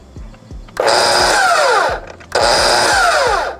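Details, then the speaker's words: DeWalt FlexVolt 60V miter saw running on the AC adapter instead of batteries: two full-speed runs with a harsh buzzing whine, winding down after each; motor sounds struggling or overpowered, like a jackhammer, cause unknown, cut unaffected. "so listen to the difference here it just sounds like it's kind of struggling or almost overpowered I don't really understand what's going on there"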